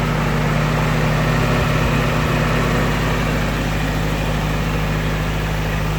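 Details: Willys Jeep engine after six weeks unrun, top covers off: nice quiet steady idle, much quieter than before, with faint remaining tappet ticking. Earlier noise was thought to be largely the timing chain.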